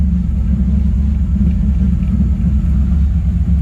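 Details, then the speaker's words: 3rd-gen Camaro idling with foot off the gas: a low, lumpy idle that wavers and sags as if about to stall; erratic idle, cause not yet found, code to be pulled. "but see and now it wants to die again i mean it was doing good idling fine see how erratic that is i mean my foot's not on the gas at all"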